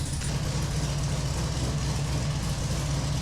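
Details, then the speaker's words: 1968 Camaro fresh 383 stroker V8, carbureted, first start: low, lumpy, loping idle with heavy chug, barely kept running; idle too low, mixture too rich, timing too retarded, before tuning. "We were both excited to get the car started, but when it finally fired, we had our hands full just trying to keep it running long enough to give it a tune. The idle was too low, the mixture was too fat, and the timing was too far retarded."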